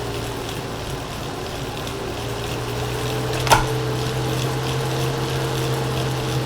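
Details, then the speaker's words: Elite Direto smart trainer after eight weeks and hundreds of kilometres, rapid resistance changes on Zwift: steady low hum with faint higher tone over soft whirr, one tick, no grinding; normal motor hum, inaudible once training is in full swing. "as you can hear there once things are in full swing in your training session you can't really hear what's going on anyway so a bit of a non-issue"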